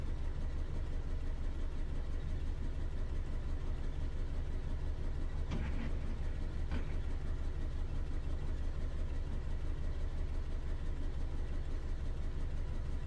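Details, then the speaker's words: 2011 Ford Ka 1.2, P0203, injector measurements showed a fault: lumpy idle with an irregular stumble about three times a second and a low rumble. Still misfiring; a plug lead not seated on the spark plug was found. "so either that fault code was a false fault code but the injector measurements showed a problem with it or we have more than one issue"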